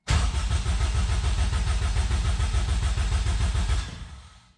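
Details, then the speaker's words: Honda K20 engine swapped into an MR2, first start attempt after extensive rewiring: even starter cranking about three and a half pulses a second, compression strokes sounding equal and healthy, ignition off; normal cranking compression. "Sounds good, sounds good. Sounds nice and healthy. I can hear the compression building too."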